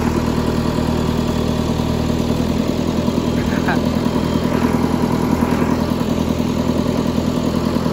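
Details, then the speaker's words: 20+ year old John Deere 555 bulldozer, long parked, started: an even, steady, smooth low diesel idle with no knocks or misses. It runs normally. "look at this guys this is awesome we got it started it's sick"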